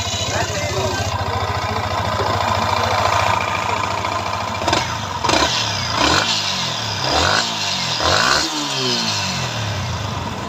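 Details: Yamaha R15 Indonesian version after repairing three broken magnet-side (stator cover) bolts: even single-cylinder idle with clean throttle blips, revs rising and falling smoothly, no knocks or rattles; healthy.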